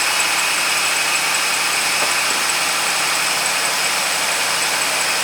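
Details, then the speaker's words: 2008 Dodge Ram 2500, 5.7 V8, two-wheel drive, after starter replacement for slow cranking: quick start then steady, even idle with a faint belt pulley squeak riding over it; engine sounds good, pulley needs attention. "Sounds good, guys. Sounds good. Engine sound pretty good."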